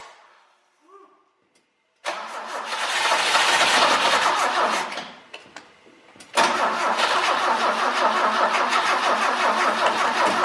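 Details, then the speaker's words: 1968 BMW 1602 after 10+ years of sitting, carburetor spraying and the coil seemingly fine. Steady cranking, about three starter pulses a second, that never fires. Owner suspects old gas is nonflammable; crank no start. "it's spraying it's good I mean I don't know why it's not starting to gas probably just like nonflammable at this point I think we got a drain in this tank"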